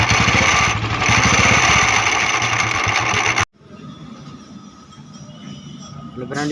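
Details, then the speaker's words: Royal Enfield Bullet Classic 350: steady busy metallic rattle over the single-cylinder beat until shutdown; the starter (self) clutch bearing spring was broken, letting the balls knock inside the starter clutch; starter clutch bearing rattle. "आप देख सकते हैं royal एफी but 350 है इसमें य आवाज आ रही थी इसकी सेल्फ की बेरिंग की आवाज थी"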